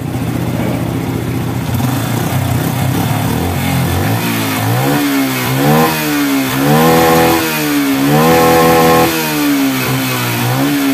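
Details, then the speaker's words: Yamaha Bison motorcycle after carburettor teardown and adjustment and blocking the emission hose, previously stuttering, backfiring and smoking black: engine picks up cleanly on each throttle blip and settles without popping; now revving normally. "lah sudah agak lumayan enggak nembak-nembak dan digas bisa Po ya kita coba jalan lagi"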